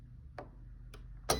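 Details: Cricut Explore cutting machine, about six years old, pressing power: three short chirps half a second apart and it never starts, despite trying other outlets and power cord; cause unclear.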